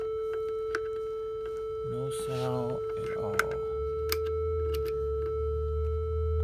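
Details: Behringer synth driven by MIDI from port A: a steady pitched drone rings nonstop, stuck on one tone; no other notes play and decay and oscillator controls do nothing.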